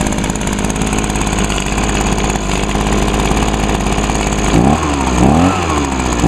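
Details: Healthy 2009 Echo two-stroke, likely the PB 251 blower, started on choke with primes on a small amount of fuel: an even crisp idle, then clean revs up and back down. It still runs as well as it did six years ago.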